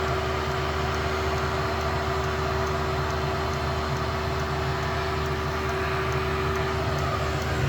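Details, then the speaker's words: VW Thing Eberspacher BN4 gasoline heater after restoration and parts replacement, first fire on camping fuel: pump quieter once primed, then heater lights with a steady even roar and low hum, no sputtering; normal combustion at full output. "Let's see when it gets up to here. There it comes. Hopefully, we'll hear it roar. Oh, it lit."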